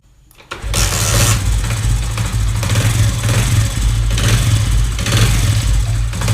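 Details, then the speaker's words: Small single-cylinder motorcycle, likely Honda CD70, revved with the clutch pulled: a loose, uneven rattle under the exhaust beat from slack clutch-basket damper springs; fix is opening the clutch side and replacing the springs before they fall into the engine. "तो friends आपने इसको जो clutch side होती है ना खोल के आप स्प्रिंग चेंज कर दें एडरवाइज वो स्प्रिंग चूंकि लॉस हो चुके होते हैं"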